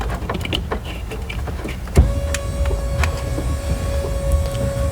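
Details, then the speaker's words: 1997 Ford F-250 wiper motor, already replaced, runs on with a steady hum with the switch in the off position; owner unsure whether the switch or the wiper control module on the column is at fault. "and the wipers they don't shut off I already replaced the motor thinking it was a wiper motor but they do not shut off"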